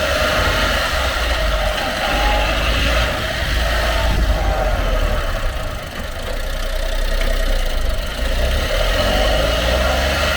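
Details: Honda Acty truck HA9 SDX 4WD 5MT, 218,000 km: loose, uneven knocking about four per second over the idling engine, possibly early stage, worst switching forward to reverse; worn propshaft universal joint bearing, under 1 mm play; propshaft assembly replaced.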